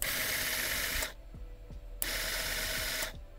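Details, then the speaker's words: Arduino relay-controlled peristaltic water pump with a reverse polarity switch: the small motor runs in short on-off bursts with an even ticking whir, about three clicks a second; the switch stops or reverses it. Normal operation. "all right so we actually got this working if you put it in the middle switch here it's going to stop the motor from working and if you put it in this one it will turn the motor the other direction"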